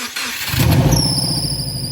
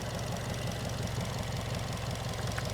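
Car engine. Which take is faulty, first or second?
first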